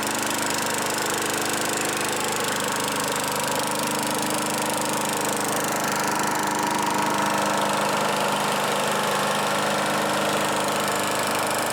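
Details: Craftsman Eager 1 mower 917.383241, salvaged from the trash; E3 spark plug and a new air filter assembly fitted, primer bulb works, needs only hardware tightening. On a tripod it holds a steady, even buzz with no knocks or stumbles: normal running.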